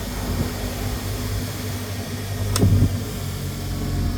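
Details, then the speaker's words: Bench grinder after a capacitor installation, switched on for the first test: steady low hum at an even spin with no knocking or rubbing; the switch works and the motor runs very smoothly; normal motor run. "Even the switch works. Okay. Very smooth."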